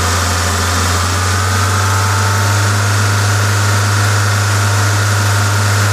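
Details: Toyota 2ZZ-GE engine running normally with a strong, even drone; the smooth hiss comes from an induction kit; no knocks, ticks or rattles, sound engine.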